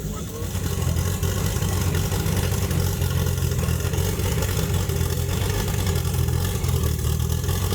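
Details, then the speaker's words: Chevrolet Opala SS turbo inline-six brought back to life after a long sit, with a repaired camshaft and new manifold: deep, even idle with a steady low rumble, no ticking or knocking; normal healthy idle. "Let's turn on this Opala For the Americans to experience the power of the inline 6"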